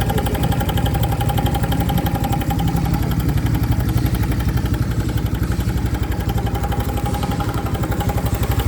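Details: New 2025 Honda Biz engine shows a new noise after being accelerated to under 70 km/h: steady ticking pulse about four a second over the idle exhaust beat; abnormal engine noise, cause unknown.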